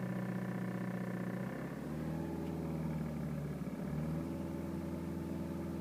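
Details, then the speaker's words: 2010 BMW 320d E92 manual diesel: steady drone near 2000 rpm, in gear or in neutral, with a buzzy rattle or vibration coming from the passenger footwell; cause not found. "BMW e92 320 diesel 2010 model slight rattling noise coming from the passenger side foot area went at 2,000 revs just going to start the engine"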